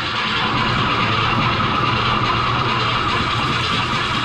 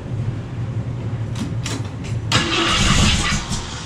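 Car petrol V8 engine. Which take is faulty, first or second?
first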